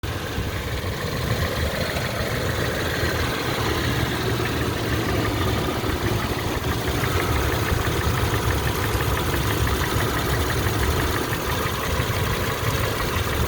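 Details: Toyota FJ Cruiser idling: steady idle with a light, quick ticking riding over the engine note at idle speed; suspected lifter or tappet noise, unconfirmed.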